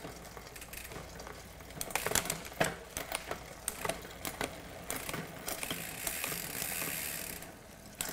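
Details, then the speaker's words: Mountain bike drivetrain after a cable tension adjustment: crisp single clicks as the chain steps across the cogs, with no grinding or chatter; clean, precise gear shifting. "there you go we've got really crisp and precise shifting everything's functioning as it should"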